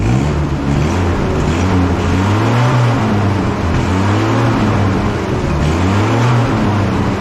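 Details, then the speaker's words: One-owner barn-find 1964 Jeep CJ5, engine previously stuck and just freed, running on, smoke expected to clear: steady, even drone with a slightly wavering pitch and no knocks or misses; running normally. "at least that's sure hope but man it really rid the engine it sounds like it's running good"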